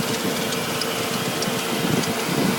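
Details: 1999 Audi S8 4.2 V8 idling with a light, quick ticking over the steady run and a few sharp clicks; a top-end tick whose cause the owner doesn't know.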